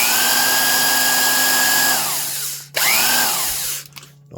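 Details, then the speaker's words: 1970s Craftsman Commercial 1/2-inch corded variable-speed impact wrench running free: steady, lower-pitched mid motor whine like an old vacuum, winding down and spinning back up cleanly; healthy motor, not very noisy, little airflow. "not a ton of air flow but not very noisy when it's just running it's just like a an old school Royal vacuum"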